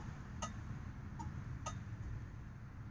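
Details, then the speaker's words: Original 1969 Dodge Dart 4-door, stored since 1988; left turn signal flasher gives sharp, crisp clicks roughly every second over a low, quiet idle: flasher cycling normally, while the four-way flasher seems faulty. "turn signals wait right yeah how about that sound the old days God bless them left side see left side Works"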